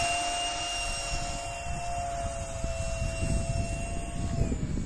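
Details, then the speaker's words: Dual-EDF RC flying wing, one electric ducted fan powered up at launch: steady high whine with slightly drifting pitch over wind rumble; odd fan noise, cause not identified. "okay that was interesting did you hear the noise it was making"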